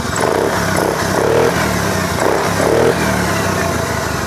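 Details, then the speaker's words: Honda Beat scooter whose spark used to cut out after 5–10 seconds, after fixing a broken wire in the harness: fires and settles into a steady idle with rev blips, no cutting out. "Ya, sekarang kita akan hidupkan mesin. Sekarang kita hidupkan ya. Ini ya. Sudah bisa hidup."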